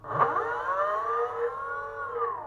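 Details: A 6384 140kv BLDC motor on an e-bike controller, run after the learning cables are disconnected: a clean whine climbs quickly, then holds a steady pitch without stutter or cogging. The motor spins up and runs normally.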